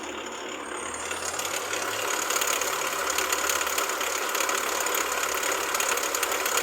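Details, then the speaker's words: Jeep Renegade engine idling: a constant gritty whir with a light rapid ticking that follows engine speed. The fault is the water pump pulley and the pump was leaking; the water pump needs replacing. "o defeitinho qual que era ó jip Renegade a bomba já estava vazando já tá vendo essa máqu aqui vazamento o barulho todo d"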